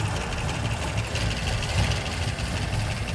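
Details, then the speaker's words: 1985 Ford Econoline E-350 box van V8 just started after sitting for years on bad old gas, doghouse cover off: deep, uneven lopey idle with ticking valve chatter; owner suspects oil has not yet reached the top end. "it runs and it's kind of idling. Still lopey. Oh boy. And very chattery."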